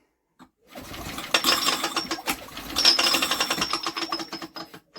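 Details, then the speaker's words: Old BSA 50cc engine, out of a shed after years unused, spun over by hand while checking for spark: uneven tinny metallic rattle in bursts as the flywheel rubs on its cowling tinwork. "well that's got a rattle when you run on the engine yeah what the hell was that"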